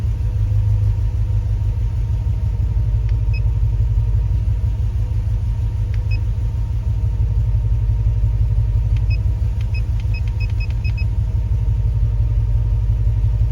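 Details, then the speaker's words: Jeep Grand Wagoneer with Hemi swap: low, lumpy idle with uneven beat and periodic stumbles; misfire, scan shows zero injector pulse on cylinders 1 and 6, both banks reading rich, EGR reading zero; cause unknown. "so we're losing injector pulse a one and six"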